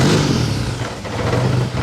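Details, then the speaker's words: K24-swapped BMW E30 with injectors due for replacement: idle surges and sags unevenly with a lumpy low rumble, better than earlier idles but still rough. "okay so as you guys can see she was a little bit upset uh it was a better Idol um than what we have been getting"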